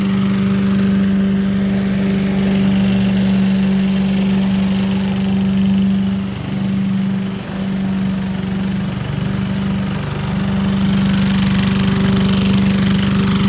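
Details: 1980s Billy Goat vacuum, small single-cylinder engine, after draining turpentine-smelling old fuel for fresh gas and a weak spark: loud steady buzz with a couple of brief dips; needs extra pulls to start, owner suspects low compression, runs strong once going.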